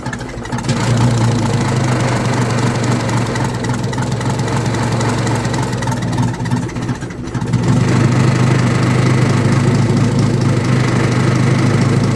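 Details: Old Detroit Diesel in a vintage GMC truck, with the exhaust off at the manifold: a lumpy, uneven beat near four per second that stumbles and sags midway while smoking; the cause was the emergency shutoff valve stuck shut, starving it of air.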